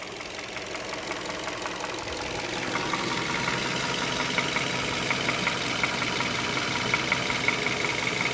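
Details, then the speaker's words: 2011 Hyundai Solaris G4FC, 166k km, fully warm (89–95°C) idling after a drive: light ticking knock about three a second, irregular with skipped beats, quieting when revs raised; new chain fitted, cause unclear. "остановился коробка на драйве какой-то стук с пропусками то есть не постоянно"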